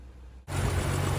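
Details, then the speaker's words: CM Valiant after a 29-year rest, after water pump replacement and a thermostat blockage cleared: engine catches and settles into a steady, even idle, no longer rattling or clunking; normal idle. "Much quieter with another water pump on it, he's not rattling and clunking and carrying on. Sounds much better."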